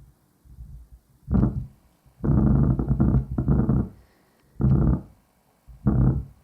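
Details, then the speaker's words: 1993 Miller & Kreisel VX-7B subwoofer (Sanyo STK4040V amp module), powered on: irregular low thumps and rumbling bursts through the speaker as the control pot is rotated; noisy potentiometer. "see the problem the pot is noisy okay so I might just unplug that"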